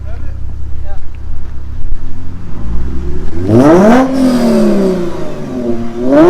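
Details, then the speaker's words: Lexus RC350 with PPE headers, Invidia mid-pipe and Remark axle-back, after resonators were installed: the engine revs and falls back with a smooth, rounded exhaust note. The harsh 2500–4000 rpm rasp is gone, though a slight blow-off-like sound remains. "the rest went away like a turbo blow off that's what i was telling him but i was like i don't know if that sounds right but who cares bro it's way better than the rasp though"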